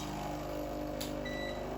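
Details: Used Breville Barista Express BES870 espresso machine pulling a programmed shot: steady, even buzzing pump hum at constant pitch, no rattles or surging, pressure gauge reaching about one o'clock; healthy pump building pressure.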